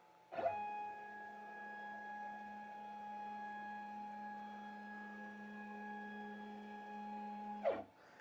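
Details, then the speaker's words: New Shapeoko 5 Pro 2x4 CNC (Carbide 3D) ball screw machine jogging axes unloaded, no cutting; steady even hum with clean start and stop; owner finds ball screw travel a little noisy but not loud; normal. "To me, it's not loud. It really is not that big of a deal."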